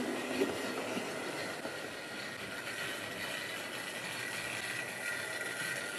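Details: Wrenn West Country class model loco Lyme Regis, unrun since the 80s, after servicing: couplings freed of paint on bearings, joints greased. Light, steady motor whine, soft even wheel chatter, no grinding or stalling; running smoothly.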